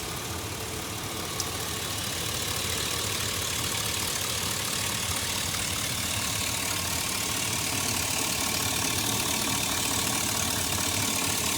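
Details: 2004 Chevy Silverado at steady idle with a constant airy hiss over the engine note, suspected vacuum leak; check engine light persists after replacing the gas cap following a fuel cap error.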